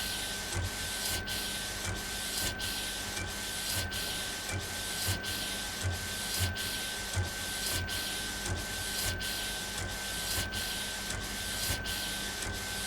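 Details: Epson Stylus Pro 4880 textile printer, first run after repair: regular carriage sweeps about every 1.3 seconds with steady hiss and even motor hum; printing smoothly and normally.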